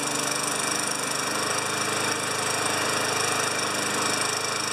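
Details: 29-year-old Rally mower primed with fuel poured down the carburettor into the intake manifold: small single-cylinder engine catches and keeps a quick, fairly even putter about three beats a second; starts and runs, owner thinks tilting it later ran it out of gas.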